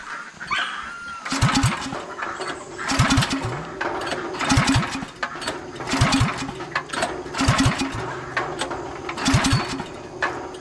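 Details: Gasoline pressure washer engine on a piggery farm, pull-cord cranked about every 1.5 s, turns over but never fires: no-start after heavy overnight rain (owner suspects engine got cold); 30 minutes of tries failed, to be taken to a shop.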